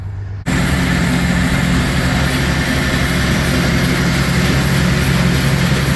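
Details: Newly bought Gehl 100 grinder mixer with hydraulic augers, grinding shell corn: steady even drone with a low hum, no knocks or surging. Normal, smooth running.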